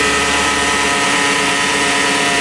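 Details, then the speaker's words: Cheap ex-police car after sitting parked for years, idling: steady high-pitched whine from the belt-driven accessories, constant in pitch. Power steering fluid is full. Suspected tensioner or idler bearing, possibly AC; turning AC on changed nothing. "Oh, that sounds like power steering. Power steering isn't uh it's full. Oh my, that sounds awful."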